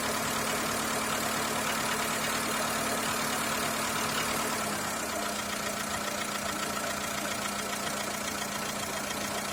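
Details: Skoda Fabia 2 1.4 L at idle: steady, fairly regular tapping of two to three knocks per second over the running note; engine knock of unknown origin.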